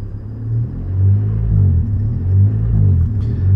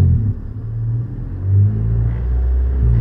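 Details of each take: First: Honda CRX DX with DPFI: deep engine drone swells and fades about once a second at light throttle, ECU not recognizing the small throttle input and acting as if there's a huge vacuum leak; intermittent, cause suspected. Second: Honda CRX DX with DPFI, after intermittent light-throttle surging: idle then a little throttle, engine note swells smoothly with no hesitation or surge; the problem has fixed itself for now.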